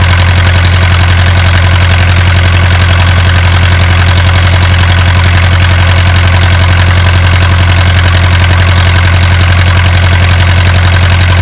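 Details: Isuzu 4BA1 85 hp diesel directly driving 5-inch single-impeller pump, water pushed about 800 m uphill for durian orchard: steady even chug about 220 beats/min over heavy low drone, no knocks or misses; healthy under load.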